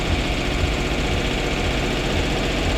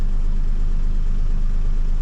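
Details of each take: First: Duet car with stumbling problem, throttle being worked on: right after starting the engine holds a fast busy idle that won't drop, unaffected by adjustment; owner suspects an air leak somewhere. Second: Duet car after throttle work, in drive, radiator fan on: steady even low rumble, no dips or stumbles; idle still somewhat high but engine doesn't stall and holds in park; owner nearly satisfied.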